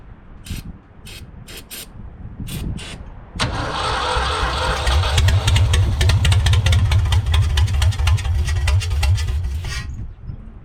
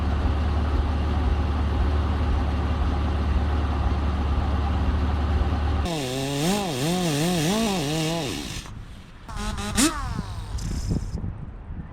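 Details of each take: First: 1974 Ford 3550 industrial tractor, first start on starting fluid: slow cranking bursts, then rough running about six seconds before dying; flooded engine. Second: 1974 Ford 3550 industrial tractor, freed up with vinegar, cranked with spark plugs removed to check spark; quick even starter whir with no compression pulses, engine spins freely: normal cranking with plugs out.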